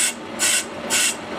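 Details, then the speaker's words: Willys brake drum on a brake lathe, light passes: hissing cutting bursts come and go about twice a second instead of a continuous cut; interrupted cut on an out-of-round drum. "and you can hear it's not even we're not getting a full cut all the way around there and that's a trouble with all these drums they're way out around"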